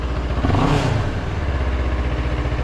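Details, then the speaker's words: 700MT big-twin motorcycle in neutral, after a fix for the TFT screen cowl vibration noise: quick throttle blip, then an even twin idle with no buzzing or rattling from the dash area. Normal revving, no cowl rattle. "don't you love the sound of these big twins they're very much like a V Twin I love the sound of this thing yeah this feels totally different now I don't think it's going to give me any more grief"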